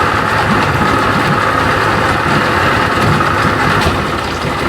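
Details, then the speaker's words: 1992 Johnson 60 hp outboard idling after a quick prime, with a mostly steady beat and an occasional missed stroke. Intermittent misfire at idle, cause not yet found. "That was pretty quick. I only had to pump it twice. She sound like she missing every once in a"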